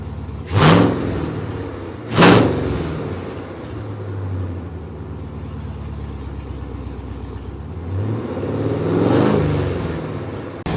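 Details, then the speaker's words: Gen V L86 6.2L V8 on the engine stand, first start: new Speartech harness, S&B cold air intake, ZL1 fuel pump module. Smooth idle with quick, clean rev blips. The throttle is more responsive now than in an earlier limp-like state. Good oil pressure; normal revving. "all right she started up and uh she ran pretty good so everything sounds pretty smooth we have good oil pressure so i'm happy"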